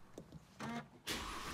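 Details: Mercedes engine started after lubricating the water-pump idler pulleys that were isolated as the serpentine belt squeak source: brief crank, even run, no belt squeak.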